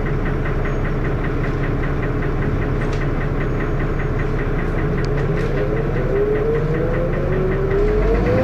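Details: Dennis Arrow diesel bus idling: loud uneven knock through harsh engine clatter and thrash, tone rising near the end; engine knocking, cause unknown.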